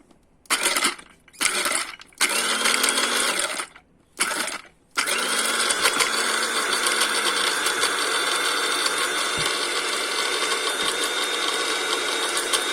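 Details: Mueller 135 W coffee grinder model MCG-335, tested with nuts inside after repairing a blown thermal fuse: a few short bursts, then a steady high-pitched motor whir, speed even, no rattle; grinder runs normally.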